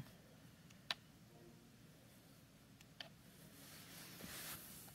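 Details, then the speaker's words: PS5 DualSense controller making two sharp isolated clicks, like a mechanism locking into place, when the PS button is pressed to open the menu; owner unsure whether it's a fault or needs a firmware update. "i press the ps button to bring up the menu and there's a clicking noise or some sort of mechanism that's kind of locking into place"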